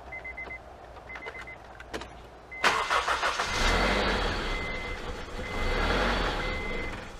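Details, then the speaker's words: Hunting, uneven idle on a Honda CR-V; the engine catches after a few beeps, then the idle rises and sags instead of settling. The cause is not yet found. "yeah we're still gonna have a little idle problem i can see"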